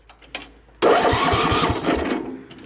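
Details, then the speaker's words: Vintage barn-find Craftsman II, non-running because a mouse chewed the spark plug wire, engine being cranked: starter grinds in with even, steady compression pulses, none missing; good starter, good compression. "Good starter, good compression."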